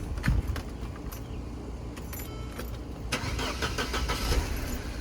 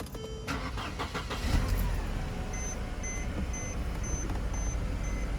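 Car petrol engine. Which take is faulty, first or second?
first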